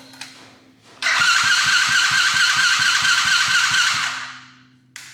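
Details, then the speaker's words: Coolster 110cc dirt bike on its old carburetor with choke on: starter spins the engine evenly for three seconds and it never fires; owner guesses the carb is gunked up, fixed by replacing it with a PZ20. "And I'm guessing the carburetor is just super gunked up."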